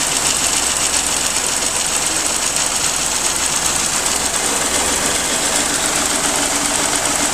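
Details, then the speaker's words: Restored Geo Metro small engine warming up toward temperature, idle still to drop: even, fast, light ticking at steady idle with no knock or misfire; runs nice, sweet and quiet. Normal warm-up idle. "Yeah, it runs real nice. Nice and sweet, quiet. I'm happy with this."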